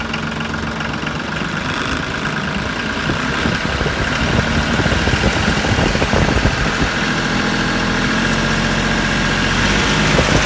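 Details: Branson 3520h tractor diesel after valve adjustment for a tapping/slapping valve noise, now at steady even idle with no tapping from the top end; repair fixed it, normal idle.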